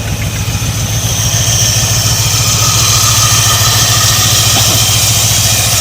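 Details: 1985/1986 Ford Bronco, pasture find, first start in 8 months with plugs reinstalled, smoking heavily: steady, even engine beat at a fast idle about three and a half pulses a second, no knocks or misses; running smoothly.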